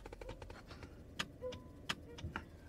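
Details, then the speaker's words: Honda CR-V parked, microphone by the glove compartment: sharp, dry clicks behind the dash each time the brake pedal is pressed. They happen only in park, not in neutral. Owner suspects an electronic relay, unconfirmed. "somewhere in the glove compartment when I press on the brake pedal you hear a clicking relay that's all I could think of"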